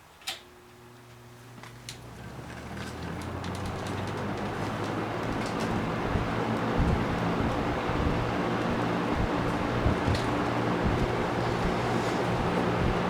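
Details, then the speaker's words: Trash-picked Kenmore two-speed box fan, cleaned but not oiled, switched to high: a faint hum building into an even rush of air, quieter than modern fans. Normal running. "It moves a lot of air. Definitely a lot more than those stupid modern things do and it's a lot quieter in the process."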